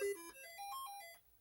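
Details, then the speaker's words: Commodore 64 running a diagnostic cartridge sound test: short clean tones step up and down with one voice plainly missing. The SID chip's third voice is dead. "the Sid chip has issues and issues are never good so it sounds like the third voice is cooked"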